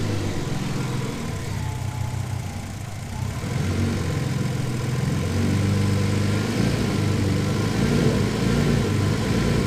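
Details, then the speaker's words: Twin-turbo Ford Capri idling the day before wedding-car use after a new vacuum leak; idle sags low, then climbs and wanders without settling. Hunting appeared with the throttle body opened slightly to its old idle setting; cause not yet pinned down. "so she's not happy that position where she was hunting then on the when i opened up the frontal body a touch was where it used to be set idle so clearly i've got a bit of an issue somewhere"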